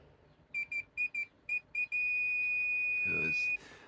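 Several short high beeps as the probes touch, then one solid continuous tone: dead short across the 12V rail.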